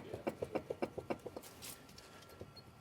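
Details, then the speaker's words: 2004 Ford Ranger with ABS code C1155, jacked-up front wheel spun by hand, large play felt: quick evenly spaced clicks about seven a second, slowing as it coasts down; worn front wheel bearing. "Yeah. So, worn out wheel bearings."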